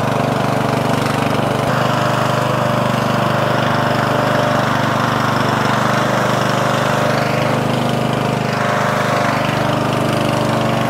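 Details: Murray 14.5hp 42-inch lawn tractor, Briggs & Stratton single-cylinder OHV, after fixing a bad ground at the ignition switch. Steady chug at even speed with no misses or stumbles; normal running.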